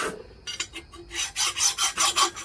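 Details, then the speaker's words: Fine file worked over the cylinder head face of a Kawasaki KE100 during top-end teardown, dry rhythmic rasping with bright catches as it hits two raised high spots that would hold the gasket up and make it blow. "And you want to do the same thing, you just kind of want to go over it like this, so it's even, you can hear it. You can actually hear it hitting the high spots."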